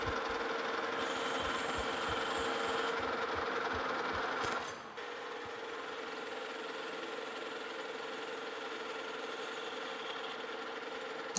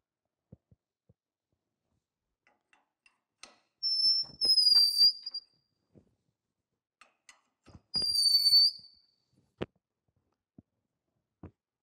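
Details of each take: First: Lucas horizontal boring mill opening a bore to 1.5 in with a more rigid boring bar for a Morse taper No. 5 adapter; steady cutting hiss, no shrieking ring, chatter under control, smooth boring cut. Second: Lucas horizontal boring mill, Morse taper No. 5 reamer hand-turned with tailstock pressure and oil; two high thin squeals about a second each between quiet taps where it wasn't cutting evenly at first.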